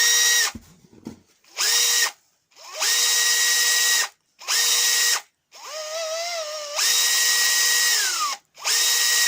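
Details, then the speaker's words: Makita DHP483 cordless drill after the intermittent trigger switch was fixed: each trigger pull gives a clean, steady motor whine that holds pitch without cutting out. It now has more kick and speed, and the intermittent fault is gone. "You know, that actually sounds better, that drill already. So yeah, it's got actually a higher kick to it."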